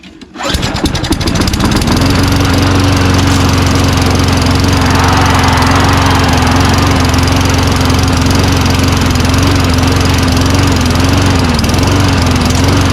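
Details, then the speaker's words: Old Toro Recycler Personal Pace push mower with Tecumseh engine, first pull-start after doubtful carburetor: settles to a steady, slightly lazy drone with faint hunt; rpm estimated about 2,800 versus expected 3,200, governed speed low. "RPM seems a little low, wouldn't you say? A smidgen? I think it's like 2,800. It should be like 3,200."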